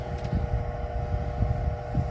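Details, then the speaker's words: Vornado Silver Swan Alchemy 12-inch oscillating desk fan, from about three years ago and found on the curb, on low speed: steady motor hum with an uneven low throbbing rumble. Very loud, like worn antique bearings; blade badly out of balance. "It's just very loud. It really sounds like an antique fan with very worn bearings, and you're gonna see how."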